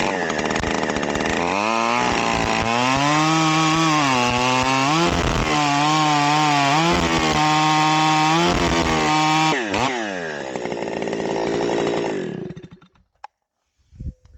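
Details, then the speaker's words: Stihl 028 AVEQ chainsaw after readjusting the high-speed screw, cutting a log: clean and crisp at full throttle in the cut, four-strokes burbling once out of the cut, then drops to idle; high-speed mixture properly tuned. "okay well that's got it right back where I want it as soon as it gets out of that cut you can hear it go to that fourstroke but in the cut it cleans right up"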